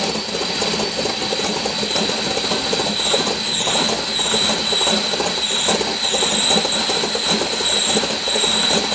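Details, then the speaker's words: LS7 S10 cold start at about 50°F, idling low around 500 rpm with the idle air control wide open, giving a high steady whistle; owner thinks throttle blades are too tight until warm. Cause suspected, not confirmed. "cold it doesn't want to idle but about 500 rpm and you can hear the idle air control open up all the way"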